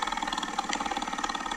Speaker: it sounds like a fan hitting something so like a fan hitting a fan shroud or like a blower motor with like a nest in it or like a maybe the cabin air filter is hitting the blower motor